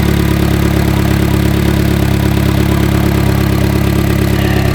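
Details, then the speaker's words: Chevy Cruze with about 104,000 miles, previously hunting at idle, after cleaning K&N air filter, maintenance and clearing codes: even, steady idle with smooth low rumble and no hunting or surging; idling normally. "already sounding 10 times better than this thing used to you guys remember what this sounded like the first time I started this up"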